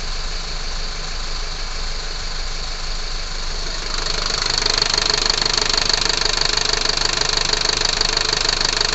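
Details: Unit 45 217 running hot (Torino MD), with engine vibration: even idle at first, then a louder hissing roar joins with a steady pulse, a failed fan clutch.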